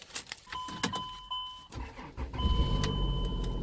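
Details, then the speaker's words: Chrysler Pacifica at a salvage auction, 110,654 miles, battery not dead: short crank with a chime, then it starts and settles into a low, steady run; it idles a little rough, has low tire pressure and goes into gear roughly. "It starts. But radio works."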